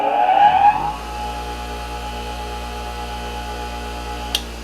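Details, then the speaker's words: Hando bench grinder running unloaded after spin-up: a steady, even motor hum with a clean fine whine, no knocks or rattles, slight vibration felt through the table, about 67 dB. "Sekitar 67 dB. Sebenarnya terasa lebih pelan dari suara saya. Cukup saja kebisingan untuk dapat bercakap-cakap."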